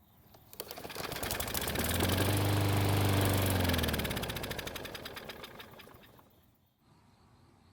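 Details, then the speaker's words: Cheap used Bolens lawn mower that wouldn't start on its old fuel, tried with fresh fuel: a small single catches, putters steadily about two seconds then winds down and stops; ignition and compression confirmed good, fuel starvation. "So, it did start and run for a couple of seconds. That confirms that the ignition system works and that the engine has plenty of compression."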